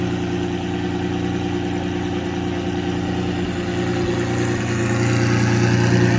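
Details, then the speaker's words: Lamborghini Murcielago V12 at first start after the fuel tank was refitted, running on both banks and burning off old deposits: a smooth, even low hum with a steady beat and no misses or stumbles. Normal idle. "running on both banks it still burned out some of the crap from before"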